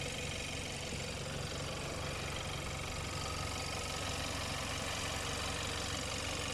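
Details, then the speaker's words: 2014 Hyundai Santa Fe, 2.0 turbo, 4x4, idling with the hood open during a pre-purchase inspection: an even, steady, smooth hum with no knocks or rattles, no leaks. Engine sounds healthy. "Sounds good so far. I'm going to go ahead and say that the engine has been checked."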